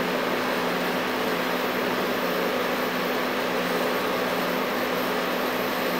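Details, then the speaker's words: LG LHD659BL curbside dehumidifier after 10–15 minutes running: steady fan rush with faint compressor hum, but coils not cold; runs without cooling, owner suspects refrigerant leak, not worth fixing. "okay guys so it's been running for play about 10-15 minutes and these coils are not cold so unfortunately it's not going to be worth trying to make this to work"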